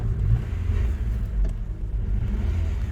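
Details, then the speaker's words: Rover with the cooling fan sensor connector unplugged to test the fan: a deep, uneven idle rumble that wavers and stumbles. The engine runs rough with the connector unplugged, and the fan never kicks in. "it doesn't like that. It's not running as it should do without the thing being plugged in,"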